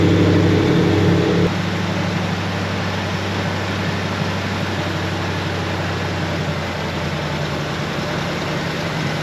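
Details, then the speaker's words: 1973 Ford F250 with FE390 V8, long-stored, first run with plugs back in after idle screw turned up: low, lumpy idle at about three beats a second with an uneven lope; clearly needs carburetor work, owner may swap carburetor. "Well, it clearly needs some carburetor work. I'll probably just put a different carburetor on it."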